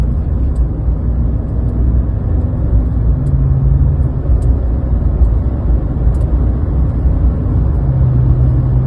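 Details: 2020 Chevy Silverado LT 5.3 V8 after replacing the drive belt tensioner pulley and serpentine belt: steady, even low idle rumble with no belt whine.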